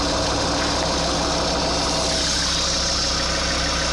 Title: strange noise 2,4 JTD